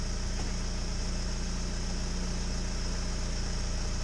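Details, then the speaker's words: 1998 Mitsubishi Eclipse, warmed up, with battery positive disconnected while running: steady, even low idle with no stumble, engine holding speed on its own; alternator fine, the battery was the problem. "Okay. So it was the battery that was the problem. That's good. See, this is off. It's continuing to run."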